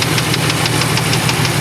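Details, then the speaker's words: 1994 Chevrolet Astro van LT-EXT, 30 years old, first owner, at rough idle: sharp, even knock about six times a second, present with belts on or off; engine knock, source not pinned down, owner pulled plugs one at a time checking for rod knock. "And I really don't know how bad the problem is with this engine, and this makes the noise with the belts on or belts off. So, and I've tried pulling one spark plug at a time to see if it's a rod knock or something like that."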